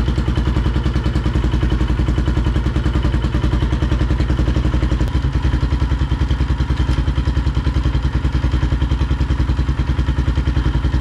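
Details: 2005 Polaris Predator 500 single-cylinder after full engine rebuild, first test ride: steady even thump with consistent pulses and no knocks or rattles; engine healthy.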